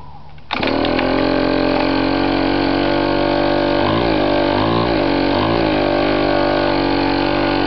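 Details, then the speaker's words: Chinese 50cc two-stroke pocket dirt bike that was hard to start, after a cleaned replacement carburetor and clean air filter: starts on the first pull into an even buzz with clean throttle blips and no misfire. Separate transmission problems are suspected. "said it was really hard to start now it starts on the first pole"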